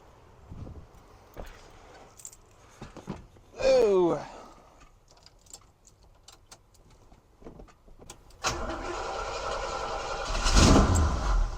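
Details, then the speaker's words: 1971 Cutlass Supreme SX 455 V8, after new battery, spark plug wires, battery cable and oil leak fix: brief starter whir, catches with a deep rumble and settles into steady idle; runs better, a little smoke out back. "oh it sounds better oh yeah a little bit of smoke coming out the back"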